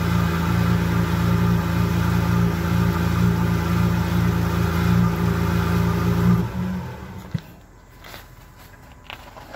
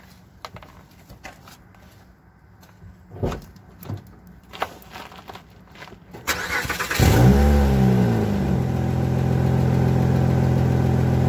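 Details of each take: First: Car with a resonator delete, small exhaust pipe leak sealed with JB Weld; first startup after the JB Weld cured: loud, deep, steady idle with no puffing or ticking before shutoff, loud only because there is no resonator, no leak. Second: Engine starts and settles to a steady idle with a faint rustly puffing from a small exhaust leak in a poor-quality pipe after a resonator delete, before a JB Weld repair attempt.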